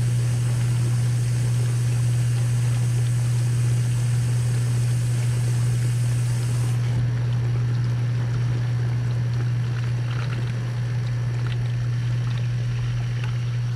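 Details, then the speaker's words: 3-year-old KitchenAid KDTE104ESS2 dishwasher after replacing the wash motor/circulation pump and heating element, rinse cycle: even, steady motor hum with water splashing, no grinding or rattle, spraying everywhere; wash motor running normally, repair done. "it does appear that it's working okay spraying everywhere so I think we'll call that repair done"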